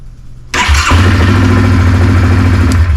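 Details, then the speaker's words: 2018 Yamaha Kodiak 700 EPS SE ATV after starter replacement: quick half-second crank, clean catch, steady even run; old starter scraped like loose magnets and took several cycles. "it's probably been a year or two since my foiler has started up that quickly i mean before it was kind of you know several cycles now it's you know half a second and it's firing right up"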